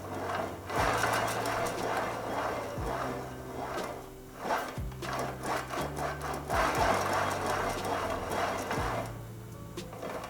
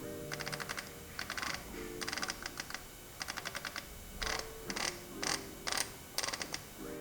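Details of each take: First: 1919 Famous James vintage bicycle, headset turned by hand: dry gritty rumble and rough clicking from the headset bearings, dry or worn; forks to be removed and the bearings replaced. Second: 1919 Famous James vintage bike, rebuilt hub with freshly greased bearings and refitted freehub: crisp even ratchet ticks in quick bursts while spinning and coasting, no grinding or skipping; normal freehub, sounds like new.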